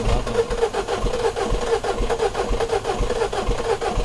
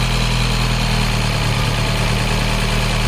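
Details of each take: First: 2012 Mini Cooper 1.6 manual, new fuel pump already fitted: engine cranks evenly, about two pulses a second, but never starts; no fuel delivery, code for high-pressure fuel system pressure too low at cold start. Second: 2012 Mini Cooper 1.6 manual (new fuel pump; earlier crank-no-start with low high-pressure fuel code 002BFA) now running: steady, even, smooth idle with no misses, knocks or hunting, a normal idle.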